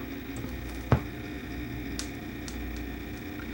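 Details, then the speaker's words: Dual 510 belt-drive turntable with SM840 motor speed mod and an added slow-start delay module: steady low hum and chattering with one sharp click, also picked up by the tonearm; failed delay module suspected. "we didn't don't need to play anything that motor is chattering so i don't know whether the module has failed"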